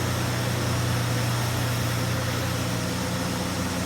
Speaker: You can hear it running, and it sounds pretty good. It's a 36-year-old truck.